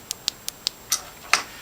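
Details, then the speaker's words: Throttle-body spider fuel injector assembly from a 1999 GMC Yukon that would not start, bench-tested on 9 volts: crisp, distinct clicks about five per second as the injector engages. Normal injector operation. "you hear that clicking noise that means that it's engaging"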